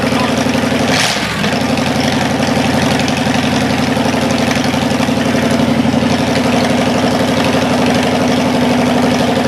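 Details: Cadillac 390 V8 after sitting 8 years with coolant added: smooth, even idle, a touch high while cold and not yet tuned, otherwise running clean; the water pump leaks.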